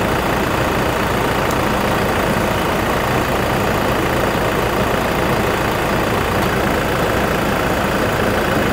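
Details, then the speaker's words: 2019 Toyota Fortuner 2.4 VRZ diesel automatic, 38,000 km, routinely serviced: steady, even diesel clatter at idle with no knocks, misses or whine; engine not noisy; normal diesel idle. "Suara mesin di sini tidak berisik. Kedengarannya masih normal. Masih bagus."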